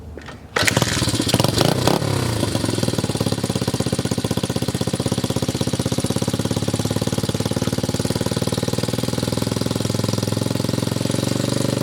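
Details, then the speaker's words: 1981 Honda XR80 four-stroke single after unsticking a stuck float: starts on first kick with no choke, settles into a steady, even, slightly high idle, no smoke, spray-can exhaust; runs healthy. "No choke, no joke. Idle might be a little bit high, but no smoke. The spray paint can exhaust is looking glorious. Sounds fantastic."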